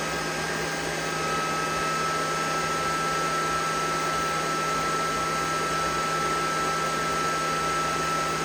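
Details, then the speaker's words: EG4 Chargeverter Plus battery charger at a 58 V charging setting with the batteries at about 76% charge, charging at about 94.5 A. Its cooling fans hold at about 11,300 rpm with an even high whine over a low hum; normal full fan speed. "like the fans are up there at that 11,000. Yep, 11,300. So we've reached that."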